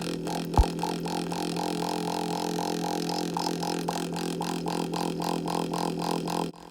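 A loud, steady low drone with a rapid pulsing throb, from a faulty float valve vibrating the pipes.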